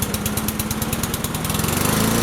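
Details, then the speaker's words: Free Cub Cadet Signature Series push mower, first pull-start, with oil possibly in the muffler: rapid even firing that stays low and won't rev up. The governor was adjusted and a suspected small blockage cleared, after which it ran normally. "So, as you can see, it wasn't revving up. I played with the governor there."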